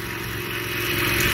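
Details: 2015 Toro Recycler 22-inch mower after auto governor/oil slinger replacement (idle had been stuck wide open), refilled with oil, still smoking off cleaner; steady, even drone at constant speed without surging, running exactly as it should.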